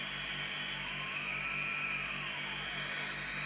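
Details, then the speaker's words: 1981 Grandstand Gemini UK CB radio (27/81) during receive alignment, with a 3 µV signal at 27.79125 MHz and the marker oscillator on. A clear, steady musical tone sits above the hiss without drifting. The 10.695 oscillator is spot on, so transformer 5's yellow core needs no adjustment. "It's actually spot on. But I just wanted to prove that with this radio, because if it isn't, we would need to adjust the yellow core of transformer 5 down there, which would put the 10.695 onto frequency."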